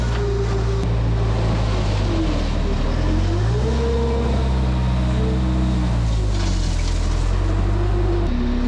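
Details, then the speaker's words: Case 430 skid steer with a rebuilt used 4.5 FPT diesel: revs rise and fall smoothly while digging and under load, no misses or knocks, no black smoke; running healthy. "it sounds good no smoke whatsoever like not even when you're loading it down it's not puffing black"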